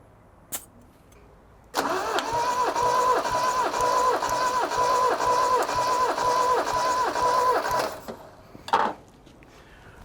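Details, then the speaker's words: Toyota RA28 Celica Fastback four-cylinder, compression test while cranking: steady starter whine with evenly spaced pulses of equal strength, about two per second. Readings run 175 to 165 psi, a 10 psi spread across all four cylinders. Normal, healthy compression. "so realistically from 175 to 165 that's 10 across all four i'm super happy with that that is way higher than i expected"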